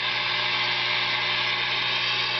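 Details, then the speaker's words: Tube guitar amp during an oscillator circuit build: steady hiss and buzz with a faint garbled radio station riding over it as a hand is placed near the ~500 V filter section; unshielded wiring and stray capacitance picking up radio. "you see you can actually tune in radio stations."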